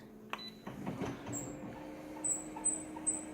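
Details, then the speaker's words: Scanner running: quiet motor hum with short, high, thin squeaks repeating a few times a second as the carriage moves; plasticky rubbing sound, more than one squeak. "Oh, there's more than one squeak on the scanner alone. Did you hear that? Ooh, ooh, ooh, sound like that sort of pitch, that lower pitch. It sounds like plasticky sort of rubbing sound, like a plastic sound."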